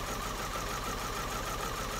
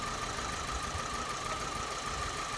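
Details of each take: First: Vauxhall Astra Mk4 with misfire and pulling back under load, idling: listening on each injector, number four gives fast, even continuous ticking like cylinders one to three; normal fuel injector ticking, injectors ruled out. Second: Vauxhall Astra Mk4 at idle, misfiring and pulling back under load: uneven, lumpy beat, with number four cylinder not firing; pulling its coil lead changes nothing and it shows no spark.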